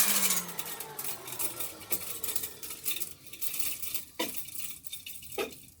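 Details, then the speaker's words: Used Hoover vacuum, needs new brush roll, no clogs found: motor whirs with sharp irregular clinks and rattles like loose junk thrown around the fan housing; debris rattling in the motor fan, needs stripping and cleaning. "let's turn on and see how bad it sounds it sounds like there's junk in the motor so i don't know if you could hear that"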